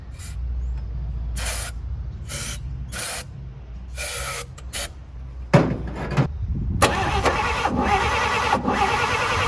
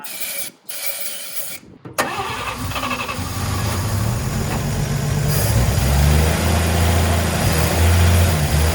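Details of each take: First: 1954 Chevy after new spark plug wires finally gave spark: repeated cranking bursts with uneven catches, then it roughly fires up; the plug wires had been one position out of order. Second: 1954 Chevrolet, parked originally as a non-runner, first start after freshening with new cap and rotor: cranks a couple of seconds, catches and settles into a smooth, even idle with a steady low drone and no knocks.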